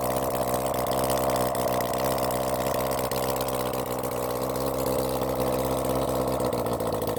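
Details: Honda CB400 Four engine on a bench run after reassembly and tappet setting, started with the choke closed after earlier carb flooding: smooth, even four-cylinder idle with a steady pulse, no knocks or misfires; sounds good before carb balancing.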